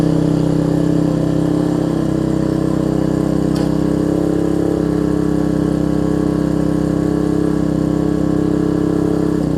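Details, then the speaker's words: Troy-Bilt Tuffy rear-tine tiller, 4 hp Briggs single, after fitting linkage and spacer, quarter tank of gas: steady, even note of constant pitch, no misses or surging; normal running after repair. "so the first thing we'll start if it starts I'll be very happy as you can hear that's better let's pull through"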